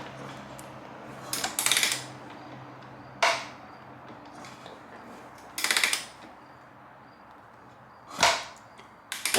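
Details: 2005 Honda CRF250X, turned slowly by hand, spark plug out: sharp metallic snap about every turn with quiet between; a clunk, cause unconfirmed.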